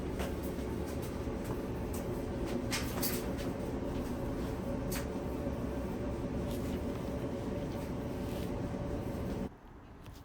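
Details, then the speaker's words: Dryer after repair, lint filter reinstalled: even, quiet hum with light tumbling ticks, no rumble or scraping; the dryer now runs smoothly and quietly. "okay yeah nice and quiet nice and quiet that's way we like the the machine to be nice and quiet running smooth"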